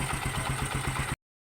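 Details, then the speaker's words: Bajaj Kawasaki CT 125, about 3 years old, that stalled when hot, after carb cleaning and cylinder head service: short even single-cylinder putter, about ten beats a second, no misses; smooth idle. "so okay na siya no karon ato na siyang paandaron paminaw na ong makina niya okay na siya"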